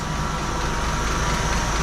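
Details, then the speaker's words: 1981 Jeep CJ7 with new carburetor, started after a few days with choke opened: smooth, quiet low idle about 600 rpm with no stumble, hiss or ticking; carb still needs tuning. "did you guys hear it run there for a second I mean 600 RPMs and it was quiet as a mouse started right up that is excellent"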